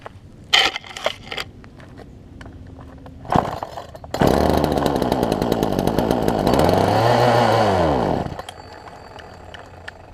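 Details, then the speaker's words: Poulan Pro 18" two-stroke chainsaw, fuel line likely pinched between carburetor and engine: pull-starts, picks up, revs swell and sag unevenly, dies after about four seconds; won't stay running. "I did get it to kick over just a second ago but it wouldn't stay running so see if we get this thing to stay running this time"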